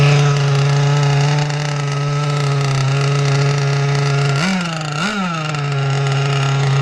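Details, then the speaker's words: 30cc two-stroke (carb thought to be 2048, needles 1¼ turns out, stock settings) on an RC T-44 catamaran in cold water: steady buzzy drone with a burbly, unclean edge and sagging blips when throttled; way too wet, and the prop needs work. "Definitely need some help in the prop, and way too wet."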